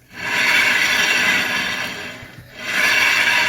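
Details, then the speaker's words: 2013 Kia Soul rear brake, wheel turning: harsh gritty scraping rasps steadily, briefly fading mid-rotation; sounds chewed up, yet rotor feels not grooved. Brake grinding, owner assumes worn pads, cause unconfirmed. "But it may look bad, but when I run my fingers over the rotor in here, it's not really grooved up. But the way it sounds, you would think that rotor is just absolutely chewed up."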